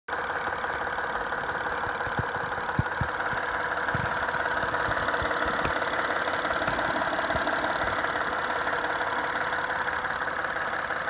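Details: 2010 Acura TL idling with a loud, dull, uneven knock of about three a second from under the hood, over the steady hum.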